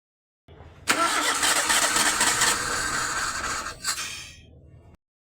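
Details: Maruti Suzuki Gypsy engine misfiring from a faulty ignition coil: fires up and runs with a rough, stumbling beat instead of an even idle.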